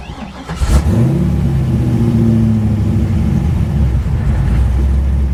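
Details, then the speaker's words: 416ci LS stroker in a Nissan S13, fresh engine, VEMS idle tuning after lowering two idle-positioning numbers: catches cleanly, rpm flares a whisker high with slight overshoot, then holds a steady, even idle. Healthy start. "Oh yeah, that was nice. That's what we're looking for right there. little bit whisker high, whisker of an overshoot."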